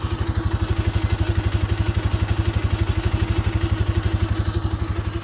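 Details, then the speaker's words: UTV/side-by-side with 222 hours idling in the shop; rapid even clatter of about four knocks a second, loose metal rattling because the suspension bushings are completely worn away (wheel bearing fine); bushings to be replaced, roof also rattles. "the source of a lot of our rattling is coming from this wheel bearing's fine but there's not a single bit of bushing here here here here or here so we're going to swap all that out"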